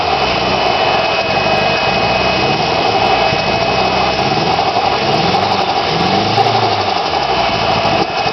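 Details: Nissan SR20DET that sat for 3 months, idling roughly with an uneven, loping stumble every so often under the steady hum. A cylinder misfire whose cause the owner doesn't know.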